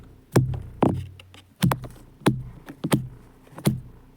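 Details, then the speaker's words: BMW F800GT drive belt after replacement, tensioned per manual (32 mm deflection under 5 kg): plucked by hand, each snap rings into a short, low, even thrum indicating correct tension. "je sais pas si on entend bien mais en gros ça doit ressembler à un truc comme ça une fois que c'est tendu"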